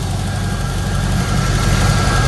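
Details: Third-gen Camaro small-block Chevy V8 idling after timing set to about eight degrees and advance reconnected: low steady idle with even beat, no ticking or stumbling; normal idle after timing fix.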